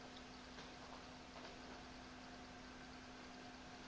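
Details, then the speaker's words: Magnetic levitation floating light-bulb lamp: a faint, steady low hum from the base that is present only while the bulb is levitating and stops when the bulb is removed. Magnetic levitation base hum. "So when I take the bulb off, the noise goes away. When I put it on, it comes back. If it funks down, it turns off. So, yeah, it does make an audible noise. It's very faint."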